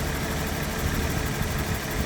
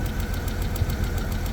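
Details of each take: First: 1991 BMW 750iL V12 after the faulty coil pack was replaced and the check-engine light cleared: a steady, even low idle with no misses, knocks or hunting; normal idle. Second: 1991 BMW 750iL, first start after storage: a low idle rumble with a regular stumble and an odd noise near the mass airflow sensor, with no check engine light. Engine misfire at idle; owner still has to check for vacuum leaks and spark plugs.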